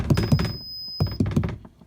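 A few sharp clicks, a thin high beep held for about a second, then more clicks; the pod is misbehaving, cause not yet found.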